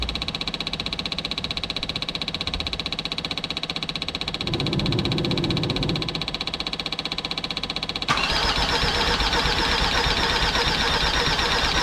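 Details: Jeep Grand Cherokee WJ 2.7 CRD OM612 diesel, first start after a full engine rebuild, with a Facet pump trying to prime fuel: steady starter churning that never catches. The new injectors are faulty; the old ones work.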